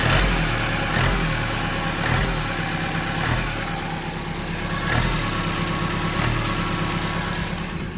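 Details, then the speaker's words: Ex-fleet Ford Transit diesel, 127,000 on the clock, idling: sharp puffing tick on every firing pulse over the clatter; judged not the turbo but a blow at the engine-to-exhaust-manifold joint, same issue on all the vans; turbo to come off. "it I'm going to say that's not turbo that's manifold what engine to manifold or further down uh engine to manifold is it yeah"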